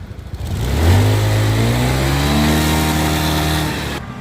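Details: Honda Scoopy i scooter after replacing the failed fuel pump motor; clean even rev that rises smoothly and settles back with no misses, rattles or hesitation; engine healthy after repair.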